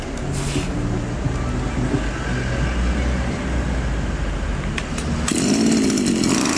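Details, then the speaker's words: Champion string trimmer two-stroke (carburetor has only a top idle screw, no fuel screw) started to diagnose stalling; idles low and uneven and dies at idle but picks up cleanly and runs normally on throttle; idle speed set too low. "вот сейчас мы заведём его послушаем почему он глохнет на холостых оборотах"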